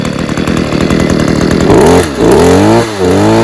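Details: Stihl KM94RC combi two-stroke after an engine refurb, cold start, revved gently to run in new piston rings: crisp buzz revving up and back down cleanly with no bogging or sputter; running well, main problem thought to be in the carb.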